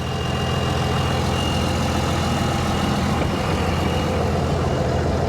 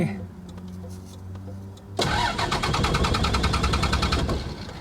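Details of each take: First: Cummins diesel-swapped Ford Explorer 4x4 on its first drive, doing a multi-point turn: a thin, steady turbo spool whistle rides over the deep diesel drone; the turbo spools normally, though transmission gear noise is noted afterward. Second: Cummins-swapped Ford Explorer 4x4 diesel on a first drive, hot day: engine died, then the starter cranks at a steady quick chug without firing; owner suspects fuel starvation when parked on an angle, possibly air in the fuel system.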